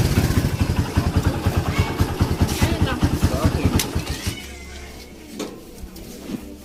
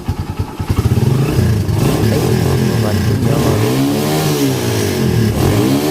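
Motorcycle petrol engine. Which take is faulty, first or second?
first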